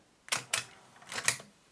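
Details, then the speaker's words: Akai GX-77 reel-to-reel deck after replacing a seized, stripped loading gear cam, tape threaded and play pressed: four crisp mechanical clunks as the deck loads and engages the tape, then runs; normal tape loading. "Put some tape on it, like that, and just to press this, it should load"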